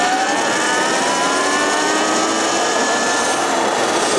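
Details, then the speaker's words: Sur-Ron X electric dirt bike at full throttle: rising electric motor whine with wind rush, then power cuts abruptly as the reading hits about 53 and the stock speed limiter (a looped wire) kills the motor, before the wire is cut. "when it hits that, you can hear it in the motor. Right when it hits 53, it literally just like kills the motor."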